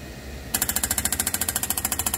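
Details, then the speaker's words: Johnson Evinrude E-TEC outboard fuel injector on a test bench with special driver, controlled rpm and fuel pressure, run at 1600 then 2500 rpm: sharp, even, very loud pop-pop bursts about ten per second; normal injector operation building pressure, good spray pattern. "and sounds like horribly noisy that's at 1600 rpm right there 600 different duty cycles 2500 rpm almost lost it there that's it so very noisy injectors it's half your engine noise is those injectors operating"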